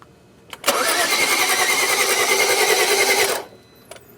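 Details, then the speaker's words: 2011 BMW 335i crank-no-start (DTCs 2DD6, 2DCF), timing chain seen spinning; engine cranks fast and very even for about three seconds without catching, technician feels it has no compression, not confirmed. "It feels like this thing has got no compression."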